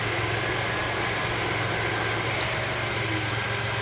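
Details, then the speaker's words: 2006 Jeep Liberty 3.7L Chrysler V6 at idle after alternator replacement and belt reinstall: steady, quiet, even low hum with no grinding or whine from the belt end. The earlier noise is gone; normal idle. "Now let's start her up and see what she does. Oh, she's quiet as a church mouse now."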